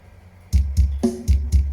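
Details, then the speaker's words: Dropped Goplay Mini speaker before teardown, with air leaks both sides and cone not moving freely: thin, distorted music with flabby, buzzy bass and no punch, about 60% output; broken voice-coil lead and displaced driver. "ครับอันนี้เสียงแค่60%นะครับเหมือนไม่มีแรงขับเลยนะครับ"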